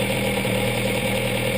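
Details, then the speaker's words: Classic engine on twin Weber DCOE carburetors, idle mixture screw adjusted until a further quarter turn no longer changes engine speed; smooth constant idle with an unchanging beat and no hunting; mixture set right, normal idle. "There, you see how that last quarter turn has had no effect on engine speed? That's the engine telling you that it's happy with the amount amount of fuel that it's getting, and you're in the right ballpark."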